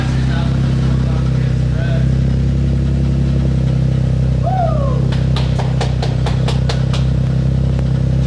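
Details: Rebuilt Audi A7, first start with a new S7-style quad-tip exhaust. Steady, low, even idle with a soft, deep exhaust note and no misses or knocks, a healthy engine.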